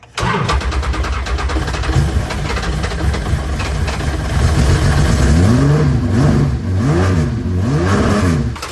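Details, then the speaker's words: Datsun 280Z GT2 race car, first start in many years on 110 octane leaded race fuel: cranks and catches quickly, steady idle, revs up and down cleanly, oil pressure almost 80 PSI; normal start and running. "It's running. We got good oil pressure. Almost 80 PSI."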